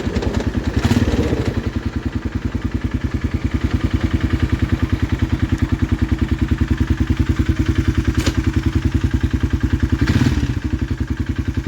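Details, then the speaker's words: 2016 Polaris Sportsman 500 single-cylinder, reassembled reusing the same piston and cylinder without new rings: steady idle with a sharp, regular tapping about 3.5 times a second; owner suspects piston knock, unconfirmed. "Because you hear that knock. I think it's a piston knock because I use the same piston and cylinder because they didn't send me no rings with my piston and cylinder."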